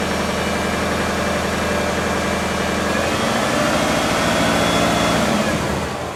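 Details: Subaru engine with top end refreshed, bottom end not rebuilt; even idle with light rhythmic tapping around 220 per minute over the exhaust note, owner suspects early rod knock, before adding Lucas oil stabilizer.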